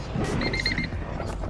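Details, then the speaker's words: EF sedan: rapid run of about six sharp high beeps, the key-in warning chime continuing after the key is removed; stops with a tap, caused by a sticky ignition switch. "pull the key out and it continues beeping right give it a little tap it stops it's got a sticky ignition what can I say"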